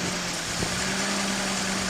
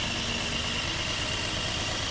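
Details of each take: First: 1981 Datsun 280ZX after fitting new fuel injectors and service, just started: steady airy hiss over a smooth idle with a faint hum underneath, traced to an open unplugged vacuum port, vacuum leak. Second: 1981 Datsun 280ZX after new fuel injectors and service, following a test drive: even, settled idle with no stumbles, misses or hunting; the earlier rough idle and power loss are gone. Normal idle.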